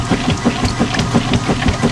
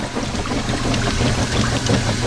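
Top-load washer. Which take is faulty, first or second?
first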